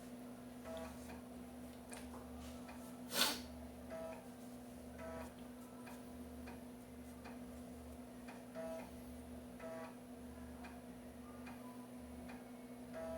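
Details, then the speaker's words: Floppy drive in an MS-DOS PC copying ARJ-compressed sound-card driver installer disks, with old disks that may have sector errors: quiet rhythmic ticking bursts with short buzzy steps every second over a faint hum; normal reading. ">> Barulhinho da cópia. Eu não cronometrei, mas deve demorar um tempinho."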